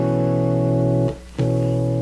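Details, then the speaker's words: Guitar with P-Street pickups: a steady chord drops almost to silence briefly, then returns; output cutting out, blamed on a short in the tone knob wiring interlinked to all the pickups, not the pickups. "so the pickups are cutting out and it has to do this tone knob down here this Interlink sorry has to do this tone knob that's interl to all of them"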